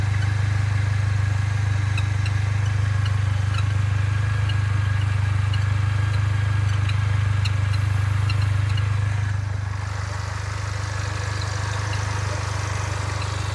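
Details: Mercedes-Benz A45 AMG, fully warm after tens of km of driving: faint, sharp high chirps three or four a second over heavy engine and road drone, a bird-like sound on a certain road or posture. Source unknown.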